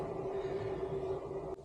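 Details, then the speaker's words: 5kW Chinese diesel heater in Renault Master van, just switched off: even, steady fan whir, constant mid-pitch tone, no ticking or scraping, blowing cool air during cool-down period; normal cool-down fan run. "press and hold I believe there you go it's gone off now so it will go into its cooling down period which is what that sign see there"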